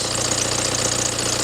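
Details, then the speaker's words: BMW with about 190,000 miles, warm idle on ramps: thin steady high-pitched chirp over even idle; owner first suspected the water pump, but WD-40 on the non-original serpentine belt stopped it immediately, so the belt is squeaking. "I'm wondering if the squeak that you can hear, I'm wondering if that is actually coming from the water pump. It kind of does sound like it is."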